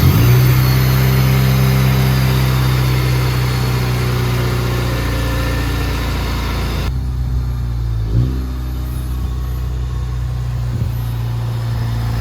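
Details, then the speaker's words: Budget Honda Civic EG build with swapped-over clutch, intake fitted, fluids topped up, started before test drive: smooth steady idle with an even low hum and no knocks or ticks. "see the um trans and clutch works all good which uh is a bit of a relief because I had to swap that clutch and stuff over and I'm so happy with how this thing sounds"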